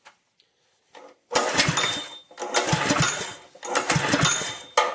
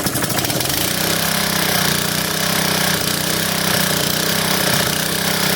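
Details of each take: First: Honda-powered plate compactor, no-start diagnosis: three pull-start bursts, engine spins briefly and never catches; oil level good, spark test shows spark, fuel on and in tank, carburetor next to check. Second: Honda-powered plate compactor after no-start diagnosis, oil topped up with 30-weight and belt removed: the engine fires within a second and holds a steady, even beat at high throttle with no misses. It runs normally.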